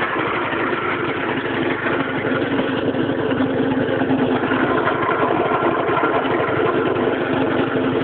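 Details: Piaggio scooter idling: uneven, rattly beat of roughly two pulses a second over the engine hum; abnormal engine noise, cause unclear.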